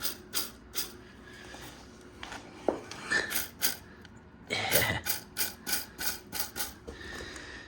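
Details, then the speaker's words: Ford Fiesta Vignale Mk8, gearbox removed for clutch replacement: dry clicks and rattles as the dual mass flywheel is turned by hand; it has become noisy, so it is being replaced. "yeah so that's one of the reasons why we've changed this is because it's so noisy or getting noisy sorry"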